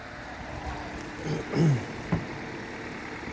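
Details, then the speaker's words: 2011 Hyundai Solaris G4FC, 166,000 km, cold morning start at 15 °C, new reinforced chain, phaser and valve: quiet, even idle at raised warm-up speed, a couple of handling clunks, no knock heard; normal cold idle. "вот так работает на холодную особо не слышно никакого стука Может потому что обороты повышенные прогревочные"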